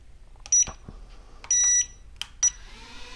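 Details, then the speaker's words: Eachine E016H mini RC quadcopter after calibration: three high, clean electronic beeps, one held longer, over a quiet room; the drone is armed and waiting for input before takeoff. "You could hear it do a constant beep, and it's waiting for you to do something."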